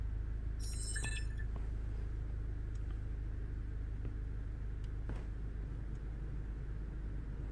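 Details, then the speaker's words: 2010 VW Golf GTI after the misfire repair, idling while warming up with misfire recognition enabled: low, even idle rumble holds steady without stumbles or skips; running smoothly with no misfire. "anymore he's running really really steady"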